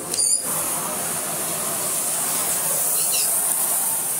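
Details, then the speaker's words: Philips Blue Magic Silence TC739 vacuum cleaner switched on: loud, steady high rushing hiss of air out of the hose drowns out a faint motor hum; excessive airflow noise. "sound of the air coming out of the hose is more than the sound of the motor coming out of the vacuum cleaner"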